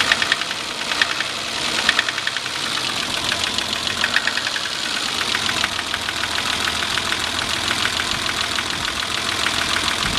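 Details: Idling engine with a rapid, steady metallic knock riding over the running sound; owner suspects piston slap or possibly rod knock, not confirmed.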